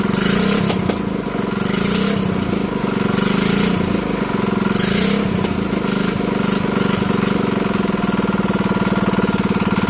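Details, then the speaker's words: Predator 212 (GX200-type) small single-cylinder engine running with the entire piston skirt cut off: fast, harsh knocking clatter that rises with revs and settles into a rough, even idle. Abnormal engine noise. "there's a knocking yeah you can hear it right about there or somewhere give it a rim"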